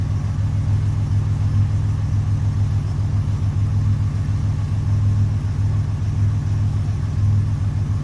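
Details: 1981 Buick Century wagon with Grand National LC2 turbo V6 and 200-4R, first start after a Vigilante 3000-stall lockup torque converter swap: deep, steady idle with a smooth pulse about once a second, no knocks or rattles; healthy.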